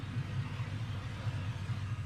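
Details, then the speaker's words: LS-swapped Chevy C10 converted from carburetor to stock fuel injection, after cleaning the injectors; plastic intake fitted. Deep, even idle with regular pulses, quiet, no misfire; normal idle. "I mean, you can hear it. There ain't a misfire. It's quiet. It sounds healthy, really nice."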